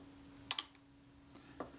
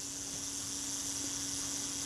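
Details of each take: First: Kodak Retina IIIC shutter during servicing, slow speed set after moving gear train inward toward the cam: crisp release click, faint gap, closing snap barely a second later; timing still too quick, closer to 1/15, more adjustment needed. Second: Kodak Retina IIIC after shutter servicing, self-timer tested at 1/8 setting: steady even whirr about seven seconds ending in crisp shutter click; self-timer works nicely and runs smoothly.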